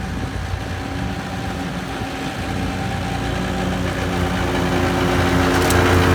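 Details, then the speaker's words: 2013 Walker T23 mower with a 23 hp Kohler twin, repaired after years sitting in a paddock (new hydraulic line), cutting grass: steady, even twin drone building slightly under the grass load, no knocks or misses; running healthy. "well as you saw it was Maring really well in cutting the grass well and I uh was really enjoying it it was going good"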